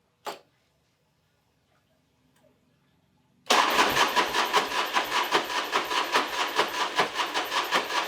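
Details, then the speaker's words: Rebuilt Harley big wheel bagger cranks in an even pulsing rhythm, about 2.5 beats/s, without catching. The starter sounds poor, possibly from water exposure. Suspected: cam bearings damaged the crank sensor, or no fuel reaching the injectors. It won't start without starting fluid. "So it obviously is not starting without starting fluid, so I I got this tank used, and I used a used sending uni"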